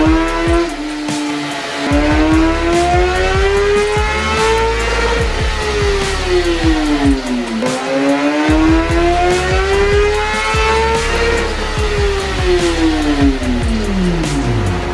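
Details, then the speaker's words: 2017 Kawasaki ZX10R (gen 5) with aftermarket exhaust and velocity stacks, stock ECU, on dyno baseline pull: revs climb hard, then flare and sag at high rpm as drive fades, clutch slipping or improperly adjusted. "did any of you hear that sound or it's a very distinct sound that occurs uh and it's an issue that a lot of people can't really catch until it's kind of too late"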